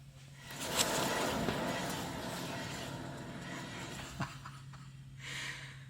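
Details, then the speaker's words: 2011 Toyota Tacoma 4WD, 1GR-FE, 6-speed manual, 160,000 miles, front humming complaint: front hub spun by hand gives a rough, gritty grind with low hum that shakes the front suspension; worn front wheel bearing. "This is absolutely grinding wheel bearing. You can hear it. It vibrates that entire front suspension."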